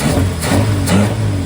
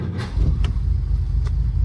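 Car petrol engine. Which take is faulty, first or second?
second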